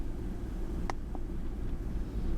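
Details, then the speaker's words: 1997 Ford F-150 4.6L, code P0402, cold start after sitting about an hour, around 800 rpm: low, uneven, shaky idle with faint lope, engine stumbling. "this cold start right now it's been sitting probably for about an hour too so not much to look at there let's go to complete list let's see what kind of pigs we can get yeah engines really stumbling there"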